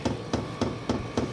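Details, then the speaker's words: HCalory 8 kW diesel air heater fuel pump with a short fuel line, sitting on an empty cabinet table: sharp, regular ticks about 3.5 per second, echoing hollow off the cabinet, which makes them louder. Normal fuel pump clicking. "So the clicking is loud because it's sitting on this table, and this table is a cabinet and it's empty, so it's kind of echoing down into the cabinet."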